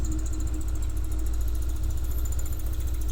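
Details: Single-cylinder scooter with a universal piggyback injection controller, idling while low-rpm setting is checked (output unchanged from input): steady, even, unbroken putter with no knocks or misses; a healthy idle.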